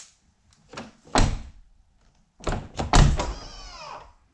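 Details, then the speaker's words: Rough Country power running boards on a 2021 Jeep JL Unlimited Rubicon; door opens, brief motor whir, step deploys and clunks into place. Normal, a bit noisy but tight. "so you can hear the motors operate you can hear the clunk but everything's good and tight it's just part of the mechanism that uh gives it that that sound"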